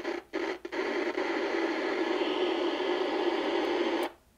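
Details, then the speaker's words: 1970 Inoue IC-2F crystal-controlled 2-meter mobile radio (pre-ICOM): receiver hiss crackles and drops out briefly, then settles to steady static. Extremely bad, scratchy volume control. "all right so we know we've got an extremely bad volume control"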